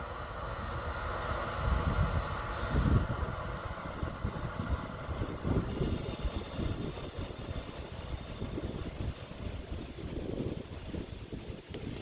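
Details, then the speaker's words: 2017+ Ford 6.7 Powerstroke after fuel filter change, push-button ignition on without brake to bleed: lift pump hums steadily with uneven gurgling and hissing as trapped air flows through the diesel fuel system to the return. "So, foot off the brake, as you can see, and press the button. You can hear all the air running through the system."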